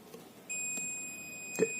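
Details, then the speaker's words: Philips home theatre with no-sound fault: multimeter continuity test on a speaker gives a steady high-pitched beep for about 1.5 seconds, so the speaker is OK and the fault lies in the circuit. "तो ये वाला भी मेरा ओके है, बिल्कुल okay condition में।"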